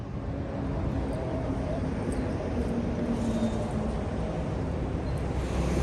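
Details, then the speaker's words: Custom Honda S65 with a Lifan 140cc four-stroke engine swap, no air filter, run in a parking lot after sitting for years, heard from a tripod: small single burbling at an even idle, no knocks or rattles. Normal running. "so i'm gonna get you uh set up on tripod here and we'll fire it up and just kind of spin it around here in the parking lot"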